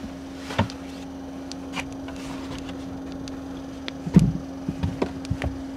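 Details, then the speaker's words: 12V cooler in a kei camper after about 10 hours overnight, cabin well cooled, about 250 W draw with sub-battery at 52% and about 37°C outside: faint constant compressor whine steady under knocks and movement; normal running. "おはようございます。クーラーしっかりついています。で、車内もよく冷えています。"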